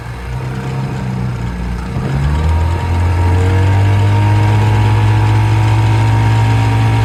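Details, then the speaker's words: 1956 Johnson 7.5hp AD-10 outboard in gear on a 14-foot deep-V Sylvan boat, about 8-10 mph, nearly on plane: smooth even two-stroke buzz rising to speed, then steady under load without a skip; quiet, reliable, running well. "It's a very good running motor, very quiet, and very reliable."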